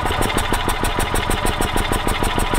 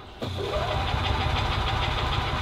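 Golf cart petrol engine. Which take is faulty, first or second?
second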